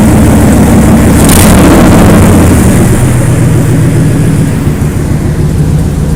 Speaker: I have an exhaust leak now, pretty bad. You see, you'll hear it start up. That's an exhaust leak.